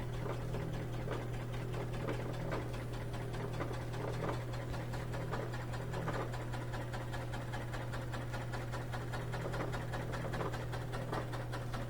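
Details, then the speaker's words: Whirlpool direct drive washer with a won't-drain complaint, drain and spin test: even low hum of the drum holding high speed, no knocking, banging or grinding; healthy, well-balanced spin, no leaks. "Let's pick it up a little speed now. And then the drain will kick in again because it's thinking, well, I'm going fast enough to create some centrifugal force to create water, so we got to drain it out. That's pretty good speed."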